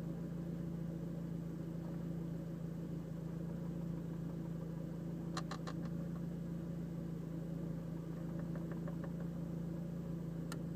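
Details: Seat Leon Cupra at idle with a new ticking that seems to come from inside the cabin: a steady low idle hum with short, intermittent bursts of light, quick ticks.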